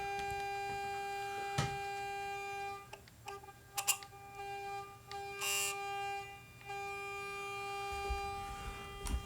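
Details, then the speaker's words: JMI Vox AC50 valve amp on a dummy load with a 400 Hz test tone; the steady tone breaks up with irregular sharp ticks and raspy buzzing bursts, traced to a failing output transformer. "All right, that sound is the transformer. And that sound did not happen with this transformer. is not the output transformer. The output transformer is not good, which is very sad."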